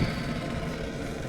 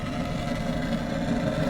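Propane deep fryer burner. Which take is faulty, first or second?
second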